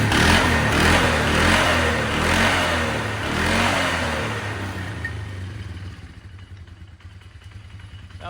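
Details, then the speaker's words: 1999 Polaris Sportsman 500 single, after new fuel pump, carburetor adjustment and airbox refitted: even steady thumping about 150 beats a minute, running smoothly; brand-new clutch has a slight rattle, cause unknown. "it seems like it's running pretty smooth"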